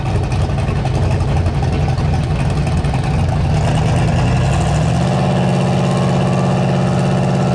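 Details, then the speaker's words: Drag car at full throttle on an eighth-mile pass after the O2 sensor was fixed: loud deep engine note pulling hard and steady with no stumbling or popping, sounding happier; engine running clean. "does that sound so much better it sounds a lot happier it doesn't sound like it's running like thirty pounds of boost the whole way"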